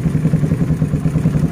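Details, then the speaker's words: Suzuki Satria FU motorcycle that would not start, after replacing the faulty spark plug: even low thumping idle about six beats a second, no knocking or missing; fault was the spark plug, carburetor idle still to be adjusted. "oke sudah hidup ya jadi Sudah bisa hidup jadi kerusakannya adalah busi"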